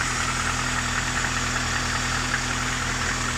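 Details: Warm engine at idle: a steady idle with a light, uneven knock about two or three times a second that gets louder with the accelerator. Alternator and rollers checked, oil leaking everywhere, gaskets changed without help, source unknown; engine likely needs replacing.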